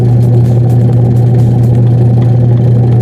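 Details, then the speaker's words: Washing machine drum test-run after repair of no-rotation/slow-rotation fault: strong, steady low motor drone holding even with no slipping squeal or labouring; drum turns freely and healthily. "Tingnan mo guys, maganda niya ang kanyang ikot. Yan oh, may lakas na siya."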